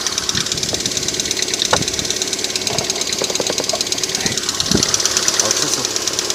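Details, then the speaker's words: 2008 Lada Priora petrol engine idling after sitting 5 days at −15°C outside, coolant near 50°C: light, fast metallic tapping from hydraulic lifters, which tick until about 90°C and then go quiet. "Вот, стучат до прогрева двигателя, то есть до 90 градусов они постукивают, далее пропадает."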